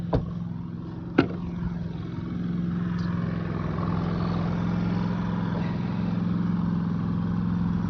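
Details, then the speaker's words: Predator 3500 inverter generator after oil, spark plug and air filter change, 120 V output within spec: after a couple of clicks settles into a smooth, even drone, no hunting, stumbling or ticking; valves judged in spec; normal idle. "that the valves are obviously in spec, because if they weren't, it would be running rough. It would hunt, as in go, and it's running perfect."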